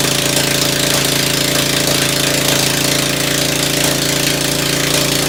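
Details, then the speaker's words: Ford engine just reassembled after tune-up, muffler removed, first carburetor tuning with only the high-speed needle set: uneven chuffing about four beats a second, irregular pops over loud open-exhaust idle; owner suspects low-speed mixture too lean. "That's why it's running like crap down at low speed, because I think the low speed is too lean yet. That's why it's popping and carrying on."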